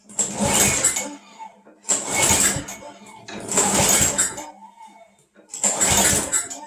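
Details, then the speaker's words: Craftsman Eager 1 mower, pull-started in cold weather after priming five times: four short sputtering pulls that never catch; the engine cranks but won't start, and the owner suspects it is flooded. "okay i think it's flooded so i'm gonna let it sit for a while"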